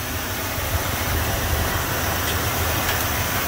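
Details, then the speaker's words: 1970 Ford Mustang Mach 1 with a non-original engine, first start after new spark plugs, power steering belt and air filter: steady low V8 rumble with an even pulse, no knocking or squealing. Runs smooth and quiet at idle. "baby's ready to go so let's go over here it's actually running pretty smooth nice and quiet"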